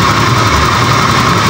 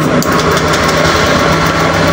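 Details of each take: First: Honda Scoopy eSP injected scooter that stumbles and won't ride when cold: idle at 1200 rpm, steady slightly low buzz with faint unevenness, injector opening 2.6 normal; low idle attributed to clogged injector filter. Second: Honda Scoopy eSP scooter, complaint: stutters and won't ride when cold. Steady, smooth idle with an even low hum and no knocks, stumbles or surges, and the throttle is responsive. The cause was later found to be a clogged injector filter.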